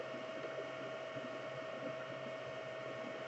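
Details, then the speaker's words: Anycubic Chiron on Tri-Gorilla board without UART, TMC2208 in SpreadCycle on the Y bed axis, printing: soft even fan whir with one steady faint tone, no stepper whine or clunks; only fans audible, printing well. "all you hear is the fans. So we got the quiet, that's what I wanted."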